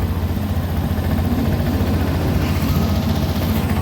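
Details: Honda Beat Deluxe fuel-injected scooter: single-cylinder idling steady but clearly fast with even drone and no dips; high idle fixed by turning the throttle-body idle adjustment screw right, after ISC removal, inspection and reset.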